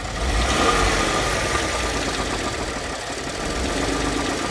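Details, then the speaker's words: 2014 Ford F-150 3.5 EcoBoost, warmed up, oil pressure good: idle carries a steady light knock, about three beats a second, heard from underneath where crankcase meets transmission; no knock when cold. "There we go. It's starting to knock now. All right, baby, I'm climbing under the truck. I found that it knocks where the crankcase meets the transmission."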